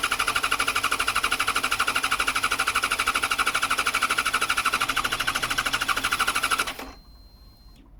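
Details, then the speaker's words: 2014 Yamaha XJ6S Diversion, under 12k miles, after repairing cut wiring, fuel gauge reading empty: steady, even starter cranking at about three pulses per second with no firing; cranks but won't start, owner suspects an empty tank. "Right, that's showing that it's very, very empty on fuel."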